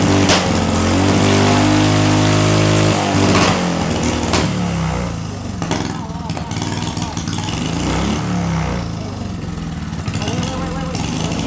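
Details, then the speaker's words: Small see-through turbo engine on EFI and gasoline, first anti-lag run (6,000 RPM limit, -30 to -26° timing), no load: steady drone breaks into ragged popping and crackle as the turbo smokes, burning off oil; about 5 psi boost. "5 lb de impulso sem carga que o turbo é definitivamente fumando agora Parece que queimamos a maior parte do óleo fora do turbo"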